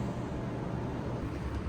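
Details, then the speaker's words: Old commercial Trane water-source heat pump on cooling call: only steady fan whoosh, no compressor hum or start-up thump; compressor not starting, traced to open condensate float switch in evaporator pan safety circuit. "fan's running, but I don't hear the compressor."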